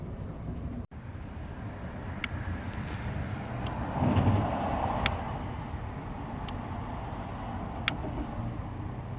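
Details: Dodge/Chrysler with the engine running at about 14.5 V charging and the fuel pump drawing 10.8 A: sharp irregular ticks about once a second over engine hum as the faulty TIPM internal fuel pump relay clicks on and off.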